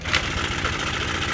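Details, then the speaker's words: Honda Air Blade scooter at idle: light, fast metallic chatter over the engine beat, loud on one side of the engine, louder still when revved; a loose cam chain from a failed cam chain tensioner. "hợp phần bên này kêu khá là to đúng không ạ Đây là da đen pi anh em nhé tốc độ cầm chừng"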